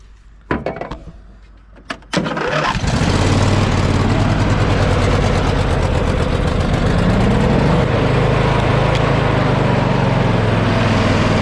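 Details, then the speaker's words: John Deere L120 lawn tractor after mouse nest cleared from under air filter cover: a few cranking bursts, then catches and runs steadily without knocks or misses; blades won't engage and initially wouldn't move. "well Blaze didn't come on and it didn't move so we got some issues but did start off and run now"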